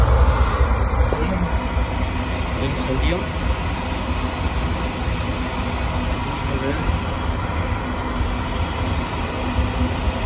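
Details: Oil-fired boiler that would not light because clogged filters restricted the oil, after all filters were replaced: a steady low roar holds evenly for ten seconds with no sputter, pulsing or dropout, indicating clean, stable firing.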